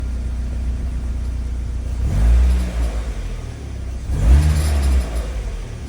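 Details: Mazda MX-5 NB facelift 1.9 VVT: engine revs up twice with a rising, droning moan under each blip, then settles back; abnormal engine noise, cause unclear.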